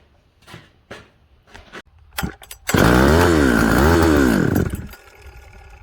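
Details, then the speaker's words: Husqvarna 266XP chainsaw, warm restart after running well and being shut off: weak pulls, fires, revs unevenly about two seconds then dies; hard starting and easy flooding. "see we flooded it a little bit wow um um so that's the thing hard starting okay easy flooding"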